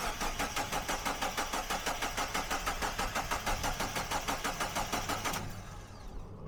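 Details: Mazda MX-5 1.8 VVT with Jenvey ITBs on a base map (ME442 ECU), first start, idle raised with no idle control valve: steady cranking about three beats a second, then catches and runs; throttles not yet balanced, slightly sticky throttle; normal start.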